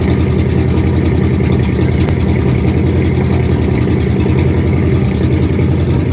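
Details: 1967 Ford F250 crew cab after fuel tank cleaning and line replacement, air bubbles seen in the filter: engine runs with an uneven, loping beat and won't settle to a smooth idle; owner suspects the tank is still too dirty, causing fuel starvation.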